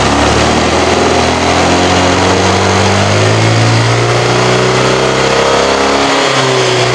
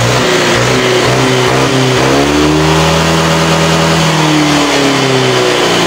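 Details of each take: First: Honda Vario scooter that fouls spark plugs within a week, engine hot, before the exhaust was holed: revs climb sluggishly and hang, sounding choked and held back when the throttle is pulled. The exhaust is restricted by a clogged catalytic converter. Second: Honda Vario scooter after the clogged catalytic converter was gutted and the exhaust refitted. Revs now climb cleanly from low down where it previously bogged, then fall back smoothly: normal throttle response.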